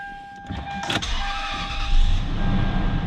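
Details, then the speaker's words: 1999 Lexus LS400 at a wrecking yard: short crank, catches first try and settles into a steady even idle, constant chime tone in background; normal start, running well. "starts right up like a toyota should running very well"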